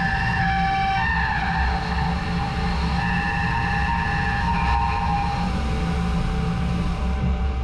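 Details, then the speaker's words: CNC twin-turret lathe boring with a Kennametal boring bar, speed halved from 750: shrill wavering chirp and whine over low rumble, chatter still present. "can still hear her screaming in there a little bit still not ideal probably not giving us our surface finish we want"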